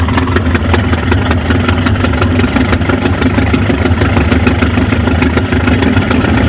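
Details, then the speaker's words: 1950 Ford F5 flathead V8, 53,065 miles, sat over 20 years, first run on a temporary tank feeding the fuel pump and carburetor: steady, slightly lumpy low idle; smokes, and the owner suspects the rings need to reseat; good oil pressure. "appears to be a little bit of a smoker, but that's no surprise. It's been sitting forever. Rings probably need a reseat."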